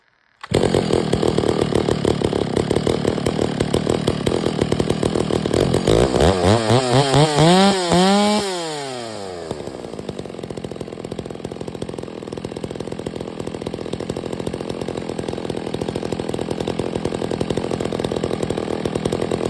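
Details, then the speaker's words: Stihl MS 660 chainsaw with 32-inch bar, cutting pine after carburetor and air filter cleaning fixed its failure to hold idle: it revs hard and cleanly, holding a steady working note without bogging; it smokes a bit, and a broken fuel cap leaks. "I know it's just Pine but that was pulling it no problem the whole entire 36 32in bar man 660 that's a beast brother"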